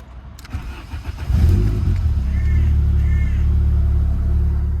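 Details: VW Corrado 16V after bodged throttle cable repair; starter churns briefly, engine catches and revs smoothly, then holds an even, slightly high idle with clean throttle response; normal engine start and rev.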